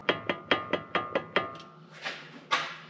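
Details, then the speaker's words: V-8 5-speed Jeep Grand Cherokee, driveshaft U-joint rocked by hand after a transmission swap: seven sharp metallic clunks about five a second, then scrapes; excess play, U-joint shot, center piece loose. "that U-joint shot then I took a look at this one that one's shot too"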